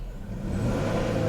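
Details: Peugeot 407 Coupé V6 (ES9) that had cylinder misfire issues: the engine picks up cleanly from low revs into a smooth, even climb with no stumble or miss. It runs healthy.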